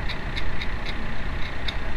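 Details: 2006 VW Mk4 TDI with a BEW diesel at 100,000 km, idling: a light, regular tick about four times a second over the diesel clatter, from a loose, worn water pump.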